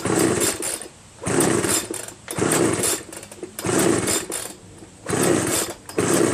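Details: Homelite 25cc gas leaf blower, spark and fuel present: pull after pull about once a second, engine spins freely with no pops at all; no compression from scored piston, no start.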